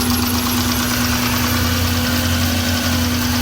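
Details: 2001 Subaru Impreza L 2.2L, manual, 155k miles, at idle: rough lumpy idle with uneven chuff, misfire on cylinders 1 and 3 despite cleaned MAP sensor and new plugs, wires, coil pack and fuel filter; cause still undiagnosed.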